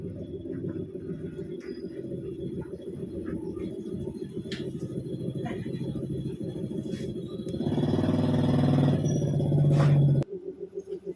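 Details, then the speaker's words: Honda Supra X 125 motorcycle that stalled, compression good and fuel present: even cranking about four beats a second that swells briefly but never catches; water in the carburettor fuel and a leaking, sparking-sideways spark plug. "Oh, nah di samping dari karbonnya yang kecampur air, businya juga sudah bocor ya teman, dia hidup ke samping ya teman."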